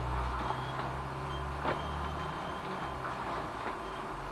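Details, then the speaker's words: Ricoh MP2001/MP2501 copier running: a faint high squeal over the low hum from dirty fuser separator claws; fix is cleaning them. "cześć posłuchajcie jakiś dziwny dźwięk wydaje ta maszyna jest taki przyciągnęły piszczenie cześć piszcie piszcie pisze nie wiadomo dlaczego"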